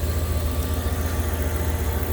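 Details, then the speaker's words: Truck after replacing warped idle air control valve and cleaning throttle body for rough idle and stalling: low steady even idle, no hunting or stumble; smooth normal idle. "there you go as you can see she's purring hopefully this holds up"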